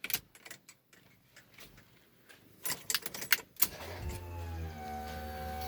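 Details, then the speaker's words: LS-swapped S10 with the stock ignition switch newly wired to the fuse block: on turning the key forward, after clicks comes a steady electric hum rising in pitch for a couple of seconds as the fuel pump primes normally, then shuts off. "I don't know if you can hear that, but fuel pump just primed and then shut off."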